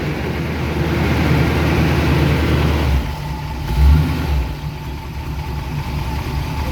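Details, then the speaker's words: 1971 Chevy C10 pickup, 350 small-block V8, after sitting three months since November, now warmed up: even, steady low burble at idle with one brief blip around four seconds, firing on all cylinders. Normal warm idle. "all right she's warmed up so she's firing on all of them now see if she runs on low"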